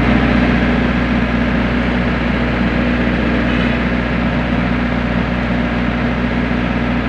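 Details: Generator set (diesel) after a manual start: a steady, even drone with a constant low throb and no surging or misses. It holds speed cleanly, normal running, following earlier battery checks and a low oil pressure shutdown alarm.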